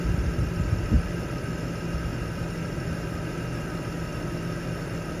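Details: BMW E39 six-cylinder after a clogged catalytic converter behind cylinder misfires and a P0171 lean code was fixed with a new header: a steady, even low rumble at idle with no missed beats. Normal idle.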